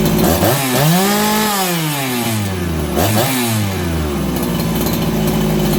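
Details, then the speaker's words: Farmertec 288XP kit chainsaw after an ignition repair (sheared timing key, spun flywheel): with the low jet richened slightly from lean, sharp throttle blips fall cleanly back to a steady idle within a second. Crisp, normal idle. "I'm going to give it a little more low jet. You guys hear that? It's crisper on the throttle and it settles down the idle faster."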